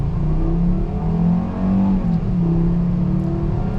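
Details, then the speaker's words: 2013 Volkswagen Beetle 50s Edition, 2.5L inline-five, 170 hp, 6-speed automatic, accelerating on the road: smooth, deep, even five-cylinder wail climbing and easing with throttle, no knocks or rattles; engine sounds great. "Hear that 5-cylinder wail away. This engine sounds great, fantastic."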